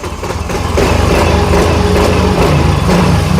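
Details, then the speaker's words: Yamaha Fino fuel-injected scooter that hesitated at higher rpm, tested after fitting a Vixion part with a swapped socket. The engine picks up quickly and holds a steady high drone at full throttle without bogging. The hesitation is gone; normal throttle response. "Sekarang posisinya itu digas penuh semua, tidak ada kosong."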